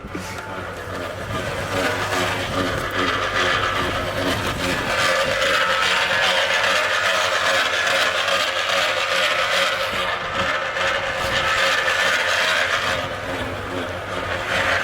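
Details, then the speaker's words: Audi RS5 after a loud bang and gearbox warning: harsh scraping rhythmic grind when put in drive at standstill, from offside front, stops in neutral; owner suspects snapped driveshaft at inner boot. "so it's predominantly it's predominantly from here the noise is from there so guys i'm just going to hop back in because that is unnatural that doesn't sound good"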